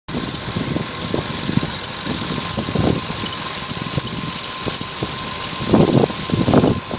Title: свист ремня polo sedan